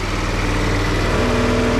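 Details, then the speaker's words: Tao Tao 50 (ATM 50) Honda Dio-clone two-stroke scooter with new carburetor fitted, throttle cable not yet connected, warmed up about four to five minutes: steady, even buzz at a settled idle with no misses or surging; normal idle. "all right it's been running about I want to say four or five minutes now in wow trailer is non-existent sounds pretty good Idols really well"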